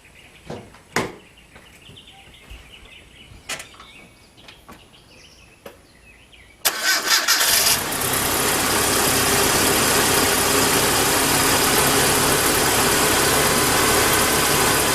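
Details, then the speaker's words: Truck with Seafoam added to the fuel, previously with a tapping lifter: handling noise, quick crank and catch settling into a smooth even idle with no ticking; lifter no longer tapping, normal start. "You know what? That lifter ain't tapping."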